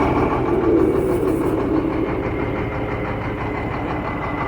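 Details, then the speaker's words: Shacman diesel tanker truck with one wheel lifted spinning in gear: steady drivetrain drone with thin high whine and gritty texture; noise in the differential, nowhere else; differential to be opened and checked. "तो इसके depressor में आवाज है। तो अभी हम इसका depressor खोल के चेक करेंगे। इसका डिपेंसर में आवाज है और बाकी कहीं आवाज नहीं है।"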